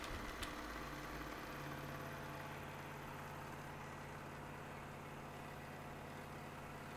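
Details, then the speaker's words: Elmo ST 1200 HD Super 8 projector after a shutter wheel belt repair, running with the back cover off: a steady, even mechanical whirr with a low hum and no catching or slipping; it is loud only because it is uncovered. "and you can see it's working once we put the back on it won't be as noisy you won't be hearing all this noise"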